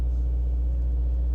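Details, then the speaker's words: Car at a salvage auction on a cold morning, heard in the cabin at a fast idle. A heavy, constant low drone with no ticking or knocking: loud exhaust. "let's see how loud it is yeah you can still hear that exhaust that's a loud"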